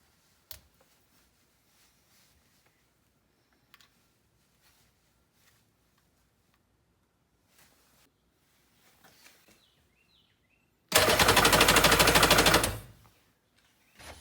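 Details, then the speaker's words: Vintage Yamaha two-stroke jet ski pulled from the weeds, spark confirmed on the plugs, not yet fed fuel. Two-second cranking burst with quick, even compression pulses and no firing; compression sounds normal. "well youve seen it we we got spark whatever um we got compression sounds like it"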